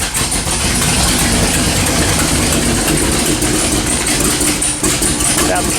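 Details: 1979 AMC AMX, AMC 304 V8 with long tube headers and Violator exhaust, no choke, before repair: loud lumpy idle with sharp ticking over exhaust; header leak from missing bolts and blown gasket.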